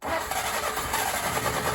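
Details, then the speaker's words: Willys CJ3A Navy jeep, first start attempt on carburetor with fuel from a can, chilly morning: steady uneven crank with no catch; fuel running, seemingly from bottom of intake, heavily flooded, owner guesses float/needle stuck open; cranking, no start. "got a bunch of fuel running out looks like we mega flooded it"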